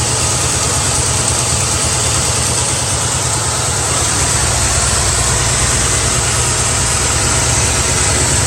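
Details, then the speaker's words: Carbureted Mustang V8 at night idle: slight stumble and uneven, jumpy beat; a spark plug wire on the driver side arcing to the exhaust header grounds out that cylinder, causing the misfire and erratic idle. "it's arcing on that header and what it's doing is each time it hits that cylinder it's trying to shut it off it's trying to ground it out hence the misfire or the erratic idle"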